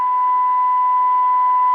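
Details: 1930 tube radio after IF transformer screws aligned to 440 kHz (fourth screw fully tightened), AM generator test signal on antenna input; clean, steady tone comes through strong with no hiss or drift, receiving properly.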